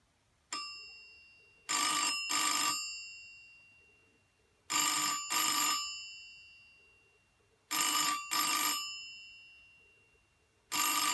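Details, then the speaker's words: 1984 BT Special Range candlestick telephone (white, TSR8005B) fitted with a cheap substitute ringer; bright metallic bell rings in paired bursts about every three seconds, classic double ring, not the best ringer but it works normally. "So there you go. It's not the best ringer, it's the only one I had to hand, but I'll probably find a better one at some point, but at least it rings."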